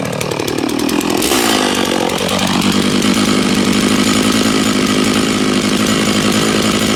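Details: Stihl MS660 chainsaw after clutch repair, cutting a log, possibly ash, chain fairly sharp: screams at full throttle and holds a steady high pitch under load, no clutch slip or rattle; strong power, normal cutting.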